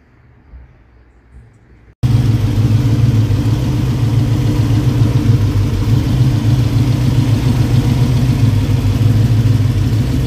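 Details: 1965 Mustang fired up after fitting braided nylon AN fuel line and a fuel cooler: after a quiet start, the engine settles into a steady, deep, even idle with no knocks or misses; runs healthy.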